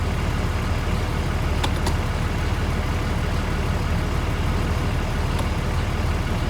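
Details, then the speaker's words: 6.4 Cummins truck, 5R110W reinstalled with replacement torque converter after the old one's locked clutch stalled the engine in gear: deep steady diesel idle in reverse and drive without sagging or dying; normal idle in gear, no stall. "So we're in neutral. Go to reverse. No stall. Drive, no stall."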